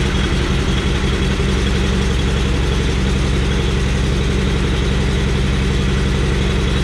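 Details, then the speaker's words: Riding mower small twin engine at idle, suddenly running wrong after mowing, slightly down on power: fast uneven tapping over a lumpy low idle, about three beats a second; terrible valve train noise, cause unknown. "There is some terrible valve noise going on in there. I don't know what it is, but basically it's kind of... It's a little bit down on power, but not really"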